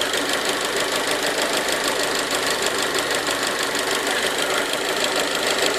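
Even idle carrying a fast, slightly uneven ticking knock around three per second in the upper range; source unclear.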